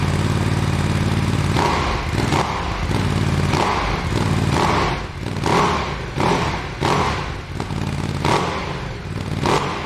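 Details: Ducati Desert X, first start after installing an Arrow decat pipe and reassembling the air filter, warming up before an oil change and recorded with a separate mic. Catches into a loud, lumpy twin idle with rev blips and no knocks or rattles: normal cold start and idle.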